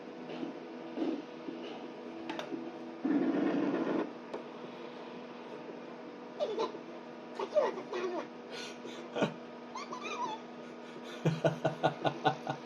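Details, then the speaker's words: 1991 Sega Rail Chase arcade PCB (Y hardware): squeaky, sped-up chipmunk voices with many sound effects missing from broken sound-circuit traces; a missing 220k resistor or the Z80 was suspected. "Unfortunately, the sound is hilarious. Sounds like uh some chipmunk action going on here."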